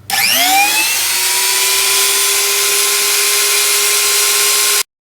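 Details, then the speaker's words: Genuine Makita die grinder at full speed, about 26,000 rpm, compared with a knockoff: spins up in under a second to steady clean high whine with no rattle or wobble; smoother and faster than the copy. "Okay, so we could see there that the Makita actually goes quite a bit faster at 26,000 and change RPMs. Not surprising, really. The Makita has a better motor and everything else in it."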